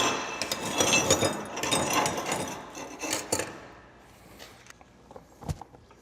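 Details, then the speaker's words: Gas-shielded flux-cored arc welding (FCAW-G) on a lap joint, with 3/8–1/2 inch contact tip to work distance: a steady, even crackle and sizzle for about four seconds with no popping or sputter, and slag peels off on its own. A normal, smooth arc. "Man, I love how smooth that sounds."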